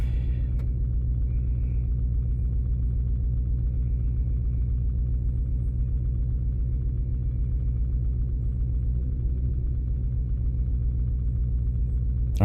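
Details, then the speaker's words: 2006 Lincoln Town Car V8 idling as it warms up after sitting two weeks, uneven pulsing shake from a misfire (code P0354, cylinder 4). "see now that it's starting to warm up I feel it it's getting a little bit of a Mist to it yep I feel it right now starting to shake"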